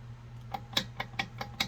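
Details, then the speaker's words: Electric scrap wire stripper: light, sharp clicks about three or four a second over a low hum because the blade set screw has backed out. The fix is tightening it with a fitting Allen wrench, but not so tight that the adjustment screw binds. "See it clicking? Because this set screw has backed out."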